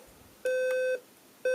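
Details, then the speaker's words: General Electric 7-4809A clock radio, alarm triggered by the nap timer: steady mid-pitched beeps, half a second on and off, getting louder over time; the volume control and top switch have no effect. Normal alarm beep. "oh it's getting louder"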